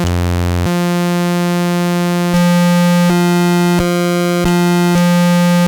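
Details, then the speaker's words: Early 1973 Minimoog (SN 2181) after restoration with pots and rotary switches cleaned: oscillator 1 alone gives a clean, steady buzzy tone stepping between held notes, with no crackle, dropouts or wavering pitch. "see how great those things sound."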